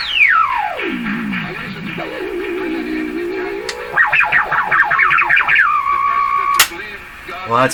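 A loud whistle sweeps down and back up in pitch, then holds around a high tone; the receiver is whistling and won't zero beat.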